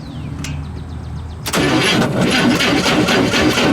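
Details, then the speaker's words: 1953 Chevrolet Corvette, factory 235 CI six, 150 HP, automatic, 6-volt system, cold start on choke: catches after short crank and settles into a slow even idle about four beats a second; healthy start. "I like how you can see everything mechanical moving. 6-volt system? Yeah, 6-volt, yeah. Yeah. Oh, kind of coming to life a little bit there."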